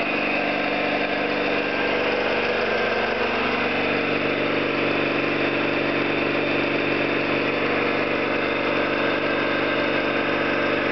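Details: Orlík 2 JSK 75-2 compressor at one of its first starts after the owner's rebuild of non-closing concentric valves and bad seals, motor provisionally in star for the house breaker; steady hum, regular piston beat, no knocking; normal running.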